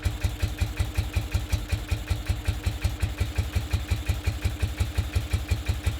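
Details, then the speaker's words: 1969 BMW R69S twin during a tune-up, idling just after the idle mixture screws were set to the base setting of two turns out: low thumping idle with unevenly strong beats, one side clearly running more fuel; uneven idle. "Right, so clearly running more fuel on this side. Okay."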